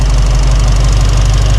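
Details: Mustang V8 after Holley Sniper 2 fuel injection install, initial start-up and programming, throttle body adjusted to bring idle down; deep, steady idle with even lope, no knocks or misses. Normal idle.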